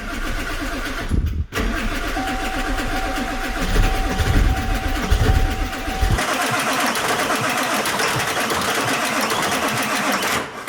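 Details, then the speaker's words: Auction 7.3 Powerstroke diesel truck long steady cranking, smoking but no start; suspect a bad glow plug and old fuel of unknown condition, no ether used, more battery boost suggested to spin faster. "heat her up again it's smoking it's trying yeah i mean we don't know what condition that fuel in there is in or it might be ghastly"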